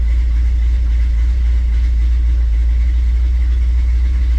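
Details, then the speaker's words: 1957 Chevrolet Bel Air 327 V8 with TH400, cold start at 78 degrees, fast idle around 900–1,000 rpm: deep steady rumble with slight rhythmic lope, normal idle with a lumpy cam; owner expects idle to calm as it warms. "I don't know what temperature it will calm down the idle a little bit. Definitely sounds like there's a cam."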